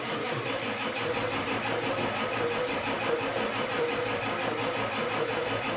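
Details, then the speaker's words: 1989 Ford F250 7.3 IDI diesel after sitting over ten years: sluggish laboured cranking at about one and a half turns per second with no catch, no fuel reaching filter housing; owner suspects ignition, unconfirmed. "something just doesn't sound right I don't know if it's this ignition what it is but it should be cranking qui"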